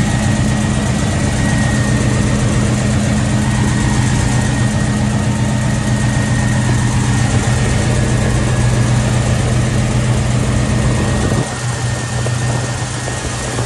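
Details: Box Chevy after new battery and water pump gasket work: steady, even low rumble with constant pitch and no misses, knocks or ticks; normal smooth idle, transmission fluid still low.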